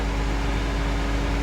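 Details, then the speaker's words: BMW E90 with bad water pump, just switched on: loud steady fan roar with constant hum, no ramp-up, fan kicks to max right away; cooling fan at full speed from failing electric water pump. "I'll turn it on. And you'll hear the fan. The fan pretty much kicks on to max right away."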